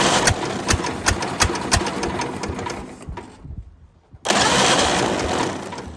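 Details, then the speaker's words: 1929 Ford Model A four-cylinder, abandoned 75+ years, with a stuck valve: uneven, loping putter with irregular beats that stumble and drop out briefly; running on one cylinder, which keeps falling off. "our one cylinder that firing fell off again it's got to quit doing that"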